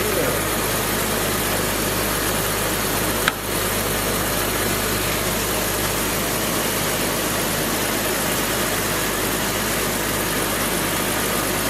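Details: 2002 BMW 330Ci after fuel pump replacement: loud, steady, even running with no misses, knocks or surges throughout; healthy normal idle.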